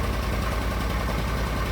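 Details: Argo ATV after winter-storage no-start repairs (upgraded carburetor), now running with no jumper wires after the fuses were replaced: low, even idle putter with a steady beat and no stumbling. Normal idle.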